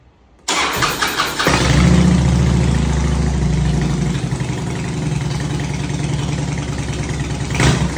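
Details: Fuel-injected twin cam Harley-Davidson V-twin with rough running and power loss, started after cycling ignition switch to rebuild fuel pressure following opening the fuel system: quick crank, catches and settles into steady even idle lope, no misses.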